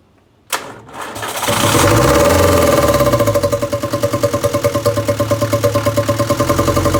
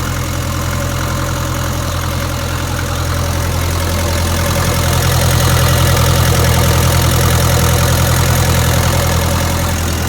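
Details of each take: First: 1962 Land Rover Series 2A 2.25L diesel, just after injection pump timing set: cranks, catches and runs with an uneven pulsing beat about three per second, because rocker adjusters were left completely loose from exhaust-peak checking, giving excessive valve clearance. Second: 1962 Land Rover Series 2A 2.25L diesel after timing check and valve clearances properly set; steady even clatter at idle with regular beat and no stumbles, much smoother than before, though truck still has low power, cause unknown.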